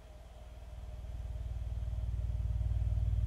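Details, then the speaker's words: Miller & Kreisel V-2B subwoofer after the defective main filter capacitors were replaced, playing a 70 Hz test tone: steady, deep low tone with no rattle, buzz or distortion; clean bass reproduction. "so i've got a 70 hertz signal going into it right now oh it sounds good no distortion at all at this point"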